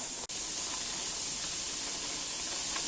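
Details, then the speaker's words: Pressure canner processing ground pork and chuck with the valve popped up, venting before the weight goes on: steady, even high hiss of steam, no sputter or surging, as air is pushed out. Normal venting. "all right we are back and you can see that the steam is coming up and the valve is up so we count for about 10 minutes"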